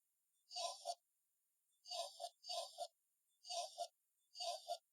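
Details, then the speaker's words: Build-A-Bear recordable voice box, two-battery unit with corroded, rusty terminals: short paired garbled voice blips about every second instead of clear speech; battery suspected still being dragged down. "oh boy is that what it's supposed to be or is the battery still getting dragged down sounds kind of weird"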